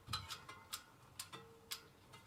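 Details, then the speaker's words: Sturmey Archer 3-speed drum-brake hub after rebuild with grease and gearbox oil, wheel spun in reverse: sharp light ticks about twice a second as spokes hit the brake reaction arm; owner suspects the new cone sits slightly lower. "so everything has been installed but when i spin the wheel for some reason some of the spokes are hitting the brake reaction arm if i spin the wheel and reverse you can hear it"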